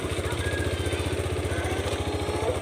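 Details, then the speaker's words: Honda Click 110i after replacing a fuel pump that gave only 1 bar with a new 3 bar one: starts easily, idles on its own without throttle, quick even low thump with no misses or stumbles. "นี่กุญแจสตาร์ทติดง่ายเลยปล่อยให้มันรัวนะครับผมกดแล้วปล่อยไว้เลยไม่ได้ไม่ได้เร่งอะไรนะติดเอง"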